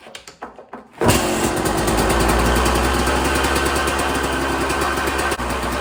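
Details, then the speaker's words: KTM 200 XC-W two-stroke after carb clean, kick-started in two kicks; catches and settles into steady crackling fast idle on choke, clean and even, runs fine. "So carb's cleaned on it, and yeah, that's on choke right now, so sounds good. Happy with that."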